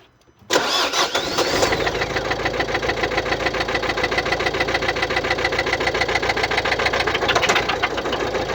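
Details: 2016 Mercedes-Benz Vito 639, 1.6 L diesel OM622.951, 84 kW, 237,870 km: engine starts and settles into a busy idle with a fast, even tick over the clatter; suspected defective hydraulic lifters.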